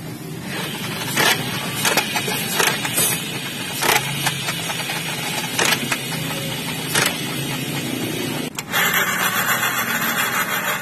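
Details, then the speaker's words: Automatic scooter CVT/final drive: rough rumble under the engine with irregular sharp clacks; final-drive gear oil found almost empty and milky white, with pulleys, final-drive or wheel bearings suspected worn. "Nah, ini suaranya seperti ini. Yang rusak nanti dicek saja dulu. Mungkin di bagian puli-puli atau bisa jadi laker bagian gardan atau laker roda."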